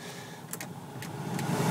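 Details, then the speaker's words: Toyota T100 truck, newly replaced heater blower motor under the dash behind the glove box (old one made a metallic high-pitched noise), key in accessory, testing speeds: smooth, even whir climbing as it spins up, quiet, no squeal or rattle; normal. "test the speed working good it's pretty quiet everything works good"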